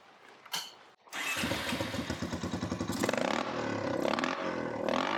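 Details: Honda TRX350 ATV single-cylinder after carburetor cleaning catches, then chugs in uneven pulses and never picks up revs; owner suspects non-stock air filter lacks back pressure to lift carb slide, or a ripped carb diaphragm.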